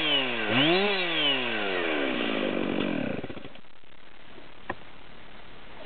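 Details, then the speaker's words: Chainsaw (462, 572 or 660 comparison; the 462 has a larger air filter, the 572 has flow mods) unloaded at about 13,840 rpm: screaming tone that wavers and breaks up at the top, a miss at high idle. "we can hear the miss at high idle still. We're at 13.84."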